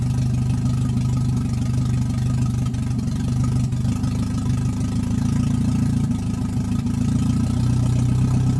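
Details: Toyota 1NZ-FE that would not idle on its own: after checking the idle air control valve, the owner suspects a throttle body port. On restart it holds a steady, low idle without hunting or stalling.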